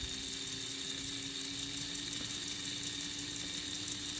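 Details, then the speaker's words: Ahm/Rivarossi 2-8-2 Mikado model locomotive motor after 15 years unused, freshly oiled: faint, steady whir with even pitch over light hiss, slightly slower in forward; no labouring, motor runs freely. "Seems a little slower on forward, but that's probably because this was mainly used in forward. Honestly, it sounds healthy. It doesn't sound like it's really struggling at all."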